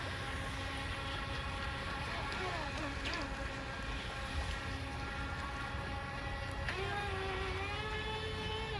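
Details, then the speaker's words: Twin-motor Proboat Riverine 22 RC jetboat; motors buzz steadily, then near seven seconds one whine suddenly climbs and keeps rising as that jet pump loses its prime, stops pumping water and cavitates, making the boat pretty uncontrollable. "so it is pretty crazy when only one motor loses its prime and stops pumping water and starts just cavitating because it you know makes it pretty uncontrollable"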